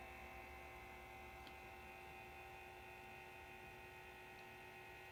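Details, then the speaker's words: Behringer EPQ304 amplifier powered on with no music or speakers: steady low whir with faint mains hum and constant tones; the cooling fans are too loud for a quiet environment. "you hear it so this is even not playing music even without even without speakers this thing is loud"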